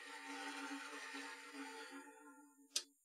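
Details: 32-year-old Daytona DF16 drill press after replacing its failed start capacitor, which had kept it from spinning up on its own: motor now starts instantly, a clean, steady hum at one pitch, then winds down smoothly to a click.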